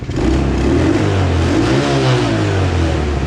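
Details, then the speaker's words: Small 125cc Chinese kids' ATV after carb cleaning and a new spark plug, with the idle being adjusted down; it revs up cleanly and settles smoothly with even pulses and no stumble or knock. Normal running and revving. "idle just the idle down a little bit here that's running a lot better than it was before a lot"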